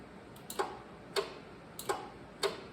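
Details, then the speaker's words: 1979 John Deere 314 garden tractor on booster pack, key on, PTO switched on: sharp dry clicks repeat about every 0.6 s, showing the PTO clutch is getting power. "I don't know if you can hear that but the the PTO is clicking so it it is getting power to the PTO"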